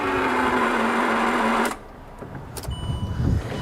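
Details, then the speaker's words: L320 Range Rover Sport bought cheap as a non-runner: starter spins with a flat, steady whir for under two seconds then stops; engine never catches, fan moves but little else, crank barely trying to spin; cranks but does not start. "Does not sound good whatsoever that."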